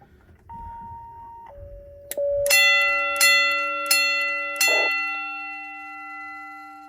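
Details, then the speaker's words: Station Alert Controller SA812 in gong mode, klaxon disconnected: two soft chime tones, then four sharp ringing gong strikes about a second apart, decaying slowly, until a hand damps the gong; gong cycling normally. "So as you can hear there, I had to put my hand on the gong to get it to quiet down so I could finish the video. You had 4 strikes of the gong, I believe it was."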